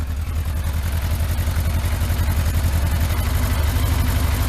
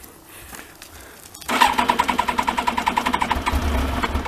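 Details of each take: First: Yamaha Thunderace, started after long storage with no coolant in it, run briefly before a water-leak check: a low, steady idle with an even pulse and no knocks; it sounds smooth. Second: Yamaha Thunderace motorcycle, not started for ages and no coolant in it, being checked for a water leak: the starter cranks about 3.5 beats a second for a few seconds without catching; it normally starts straight away.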